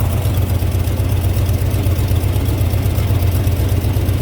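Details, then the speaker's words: GMC pickup with TBI 350 (or 305) V8 reportedly severely overheated to seizure: deep, uneven idle with a loping low thump about four beats a second while it smokes, consistent with a blown head gasket; customer chose a replacement engine given mileage and overheating. "yeah that's not morning dew surprising that that's that's head gasket"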